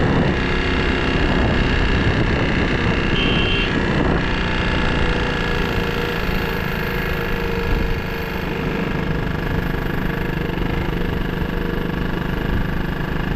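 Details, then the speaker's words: KTM RC 200 bike running after seizing, suspected low oil pressure: a rough, uneven knocking clatter under a loud engine with wind noise. The engine sounds badly damaged. "तो करवा दी कम से कम आवाज बहुत गंदी हो रही है यार ह ये देखो सुन सकते हो आप कितनी गंदी आवाज आ रही है"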